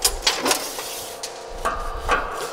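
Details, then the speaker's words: Used LVD JS25-13 hydraulic shear (1/4" x 13') with power back gauge: sharp metallic taps and short clacks as the sheet butts against the back gauge; normal back gauge contact setting the cut position. "you hear that noise, that's the back gauge. So every time we hit that back gauge, we know we're gonna be at the exact right spot."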